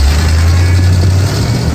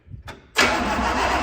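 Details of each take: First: 1965 Pontiac Catalina V8, first start after sitting 20 years apart: quick blip then steady, even low idle with no misses or knocks, smoking from sprayed transmission fluid and new paint; normal idle. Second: 1965 Pontiac Catalina, first cranking after 20 years apart, no steering wheel, on booster pack: steady, even cranking drone with no firing; carburetor dry, no fuel reaching it, later primed by sucking fuel through hose.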